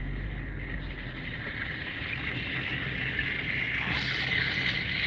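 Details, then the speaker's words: 2010 Dodge Challenger from a police auction, driven at walking pace through a parking lot: a scraping rasp from the left side that swells and keeps going as the car rolls, caused by a rusted trim piece hanging off and dragging. "oh that's what it is this is uh this trim piece is hanging off all right that's the noise we're hearing"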